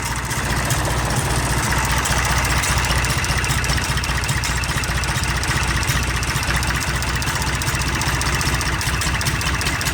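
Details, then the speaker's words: IH 484 diesel tractor, cold start around 55°F: steady, even idle with deep low rumble, no knocks or misses, still very smoky but sounding much better; normal diesel idle. "Still pretty god-awful smoky, but again, it already sounds way, way better."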